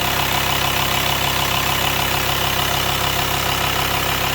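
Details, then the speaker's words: VW T5 long-wheelbase van, 2.5 BNZ diesel, first start after camshaft and hydraulic tappet replacement with new filters and oil: even, steady idle, much quieter, no tapping or clatter; normal idle after repair. "And now it's the first attempt of starting it. Let's see what it happens. Much quieter. That sounds about right."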